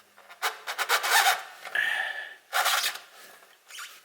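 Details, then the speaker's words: Kubota BX2380, brand-new tractor, 50-hour service: factory hydrostatic transmission filter, fitted very tight, being twisted off. Dry rasping scrapes in bursts; owner suspects the seal was never lubricated at install. "I sound it sounds like when they put it on they didn't lubricate the seal and then now I'm trying to take it off"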